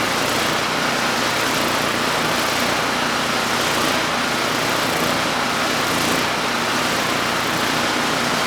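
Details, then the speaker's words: Generac GP5500 generator with very low compression, running on a replacement carburetor with a drilled-out pilot jet, no load: steady, fairly even run with a thin, slightly busy note, running pretty well but still a touch lean. "And this one, you know, we drilled out the pilot jet. It's now running pretty well without a load. You know, still a touch lean."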